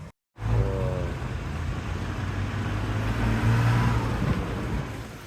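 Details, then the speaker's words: Car in Jamaica driving home after repair: new AC compressor fitted (old seized AC bearing had snapped the alternator belt), alternator belt replaced, blown compressor fuse bridged; pulls away with smooth steady low engine drone, no squeal or knocking — normal running. "Right, driving home to pick up mummy and the little ones to celebrate that the car still works, because if you can look, no noise."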